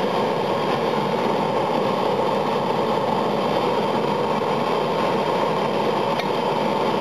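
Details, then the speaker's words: Fryer gas burner firing, thermostat set to 170: constant, even flame roar with no popping or sputtering; normal burner operation. "i'll do a quick video of the burner in this because it's quite amazing when you hear it fire up it's incredible"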